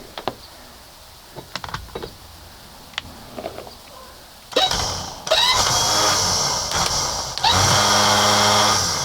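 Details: Starter motor for a 1971 20 hp Johnson outboard tested on the bench with a battery: after handling clicks, a high, even electric whir in short bursts spins freely; starter works normally.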